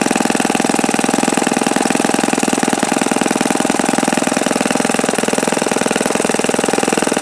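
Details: OS FS-48 Surpass four-stroke glow engine on a test run checking bearings: fast, even, crisp buzz holding high steady rpm; no bad-bearing sound heard.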